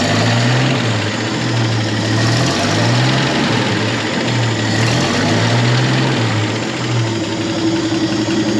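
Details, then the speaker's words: 1963 Chevy C30 inline six, off the road since 1978, idling after its first restart with the generator charging and the oil light off: steady low rumble with a gentle, regular lope and no knocks or misses. It sounds great. "Man, what a good looking dash. Dude, this thing sounds great."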